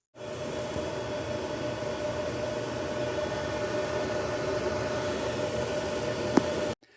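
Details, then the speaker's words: Ubiquiti US-48-500W Gen 1 48-port PoE switch with stock fans: loud, steady rushing whir of cooling fans pinned at full speed, then cutting off when unplugged; fans running at full speed before Noctua NF-A4x20 fan swap. "something very important that you need to take away is the fact that this thing is incredibly loud. Like, I can't believe it how loud it is."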